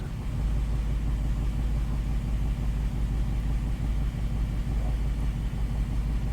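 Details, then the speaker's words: 2008 GMC Acadia 3.6L V6 with a P0300 misfire and cylinders 3 and 5 dead, idling deep and lumpy with an uneven pulse and shaking. Injectors were swapped, new plugs and known-good coils fitted; a rattle/ticking appears after clearing codes. "Okay, this is the sound that just came on. Sounds like a fuel injector."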